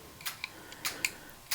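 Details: Mesa Boogie Bigfoot footswitch board for a Rev D Triple Rectifier, after chip replacement, in spongy mode: scattered crisp single relay clicks with no chatter or chirp; channel switching works perfectly. Owner suspects extra current draw near the relay supply.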